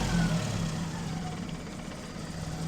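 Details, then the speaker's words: 1981 Ford Fiesta Mk1, 1.1L X-Flow engine, after replacing the rattling water pump and fuel pump gasket: smooth, steady idle with even low rumble, no rattle or knock, super quiet, no leaks; normal healthy idle. "Okay then, sports fans, she is running beautiful. Listen to that. Super duper quiet."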